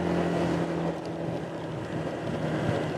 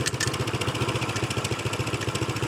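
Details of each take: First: Honda PCX150 after installing new 14 g variator sliders: steady pull under full throttle with wind rush and no shudder or bogging. Previously the variator stuck in mid ratio and bogged the engine. Normal CVT acceleration after repair. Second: Honda PCX150 scooter running: a tinny, rattly chatter on each beat, heard off the right side, traced to the factory exhaust baffle vibrating loose.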